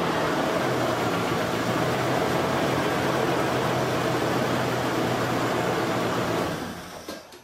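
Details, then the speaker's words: Toyota 4Runner 3.4L V6 idling with an uneven, lumpy pulse and visible body shake from one dead cylinder. The plug shows spark but no fuel, so a clogged or high-resistance fuel injector is blamed; it smooths out above 2000 rpm. Replacing the injectors fixed it. "so with that you can kind of see how the vehicle is shaking when you stick your hand on the fender of it you can really feel the vehicles kind of wobbling around at idle"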